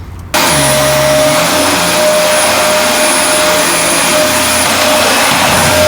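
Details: Dyson DC24 All Floors vacuum after emptying the canister and cleaning the ball and canister filters to cure a whine: steady, even rushing roar with a faint high hum, healthy running.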